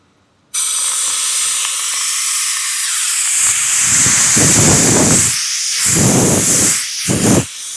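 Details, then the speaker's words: 2013 Range Rover Vogue Supercharged front air suspension strut, removed after the car sagged on the left side, tested off the car: loud steady hiss of air escaping from the top, cut off briefly a few times. Strut leaking air. "It's blowing air from the top side. It should not. It should keep it inside."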